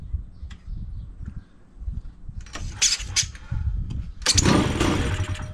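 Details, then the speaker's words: 210cc two-stroke high-compression paramotor engine on a homemade drift trike, decompression button used to crank: several rough pull-start attempts sputter and die, flooding, then it suddenly catches and revs; hard starting. "so this motor is also super high compression it's got a decompression button here that you click just so you can crank it over so hopefully it will start oh man it's flooding"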